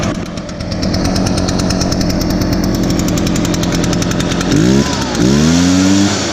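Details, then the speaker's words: Echo blower, started on choke after priming bulb under the carburetor, started easier than expected: steady two-stroke buzz, then two quick throttle blips rising sharply and dropping back cleanly; normal idle and throttle. "all right oh wow that's amazing let's start up a lot easier"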